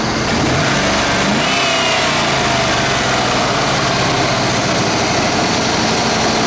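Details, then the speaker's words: 1992 C4 Corvette LT1 300 hp V8 with 96,430 miles, a removed engine for sale, being revved: a strong, even roar that climbs smoothly through the revs with no knocks or ticks. The engine is in great shape. "This engine's in great shape with no leaks or ticks or knocking. We'll go ahead and rev it up here."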